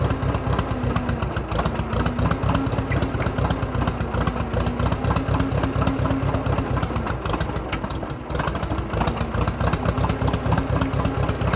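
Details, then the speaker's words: Drott T340 skid shovel (track loader), old engine just started: a loud, chuffing idle with an irregular beat and a noticeable stumble, before checking the transmission and final drive for oil or water. Engine misfire. "i want to check for oil in the transmission or water in the transmission and final drive you can hear it's misfiring for"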